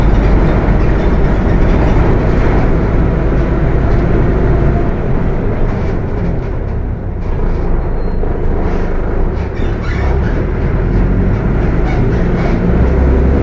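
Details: Mercedes-Benz OF 1721 BTC 5 bus (Apache Vip IV body) while driving: heavy deep droning growl swelling and easing with road speed under engine and road noise; transmission growling loudly.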